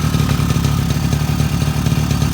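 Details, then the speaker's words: Freshly top-end rebuilt 2002 Suzuki LT-A50 50cc two-stroke quad with new Wiseco piston and adjusted carburetor, first start on first pull: steady, even, rapid two-stroke burble at idle, no knocks, misses or rattles; normal healthy idle. "amazing we're fighting this thing just because of that seal this is amazing look at that they started on first pull I'm so excited and it just sounds so healthy"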